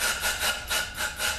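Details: GM 6L50 transmission rebuild, air-checking the 1-2-3-4 clutch pack with new overhaul-kit rings: loud surging hiss of escaping air about three times a second, no apply clunk; air leaks past suspected faulty rings; clutch piston seal leak.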